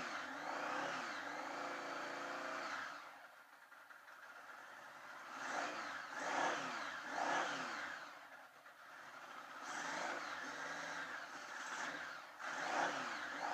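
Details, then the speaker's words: 1980 Honda Goldwing on first start after sitting many years, carbs just rebuilt, on choke: uneven bursts with rising and falling revs, rough running; further carb tuning needed. "well that sounds pretty damn good to me out of that one cylinder there"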